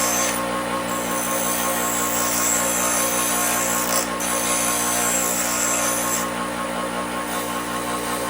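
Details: Replacement bench grinder after the old one burned out: steady, even motor hum with a clean high whine that holds constant throughout, no wobble; runs smoothly, normal running.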